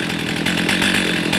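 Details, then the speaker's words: Stihl MS310 chainsaw after ignition repair for stalling when hot, warm and idling about 10-15 minutes after previously dying within 2 minutes; steady, even buzzing idle with no surging, hunting or dying off. "Okay, she's been running for probably 10-15 minutes. We're sitting at idle."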